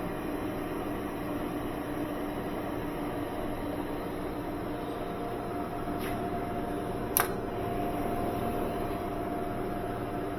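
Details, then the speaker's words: Rebuilt Northland condensing unit with upgraded sealed system, new condenser fan motor and timer, repaired heat exchanger, recharged with R134a during charging; only a smooth, quiet fan hum with a faint steady tone, compressor barely audible, normal running. "Right now, I can only hear the fan running. I don't even hear the compressor. It's so quiet."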